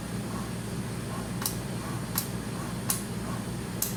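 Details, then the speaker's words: Philips patient monitor during NIBP repair: with the cuff blocked, the pump hums softly and the solenoid valve clicks crisply about every 0.7 s as the cuff inflates, so the NIBP module is inflating normally. "It's inflating and there's a clicking sound, meaning the solenoid is working. So, it's going to work now."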